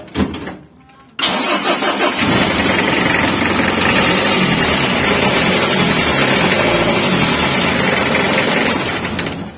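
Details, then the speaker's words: Mitsubishi L300 diesel idling with a harsh, dry, raspy grinding over the clatter. Water pump or alternator bearing was first suspected, but the noise stayed with the fan belt removed, pointing to a worn timing belt with worn-down teeth. "Kurang lebih untuk suaranya seperti itu ya, suara gesekan kering seperti itu."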